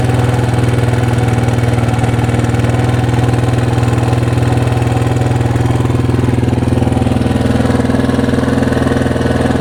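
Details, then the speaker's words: 1982 Honda XL250R single-cylinder, bought cheap after a shop called the engine shot; low compression. Steady idle with light even ticking from the top end; suspects valve clearance, cam chain tensioner, owner hopes not connecting rod. "Okay, we heard this noise. The noise is coming from the top end. For the noise, I see three possible reasons. First suspect is valve clearance"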